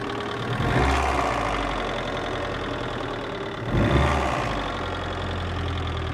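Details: VAZ 2112 1.6 16-valve at idle: steady idle with an uneven dull knock that never settles; knock appeared after head gasket replacement, cause not pinned down.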